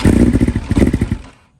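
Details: 2020 BMW S1000RR (K67) true cold start on original stock software: rough lumpy uneven idle, stalls and needs restarting; one ignition coil is shot, causing a misfire.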